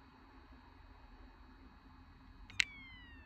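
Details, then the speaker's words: Old 5th-generation iPod, battery dead for years, just plugged in to charge: quiet hum, then a sharp click as the hard drive resets in a boot loop; owner suspects the very dead battery or needs an iTunes reset. "Yeah, if you heard that click, it's boot looping. So I'm not sure if it's. If the boot loop is cause of a very dead battery or something, or I may have to reset this through iTunes."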